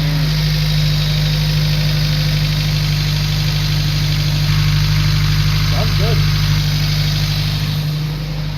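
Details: Honda Civic on its first run, with spilled oil smoking and no fuel leak: a steady, even idle with a smooth low hum and no knocking or tapping. Normal idle.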